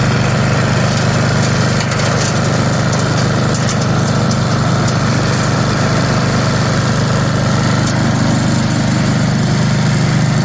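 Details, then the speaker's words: 1982 Snapper Comet riding mower, 8 HP Tecumseh electric start, after restoration with everything reported operational: steady, even low thrum with no misses, knocks or surging; engine runs smooth and healthy. "There it is, boys and girls. It works."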